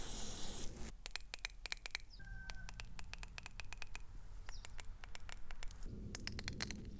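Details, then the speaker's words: BMW VANOS solenoids removed and bench-tested on a 9-volt battery, before cleaning, car had rough idle, power loss and shaking: sharp, uneven clicks in quick bursts, some faint, two not working, two very weak; sticking VANOS solenoid valves. "this one is opening closing to does something to doesn't this is not great and the two which does something is very weak"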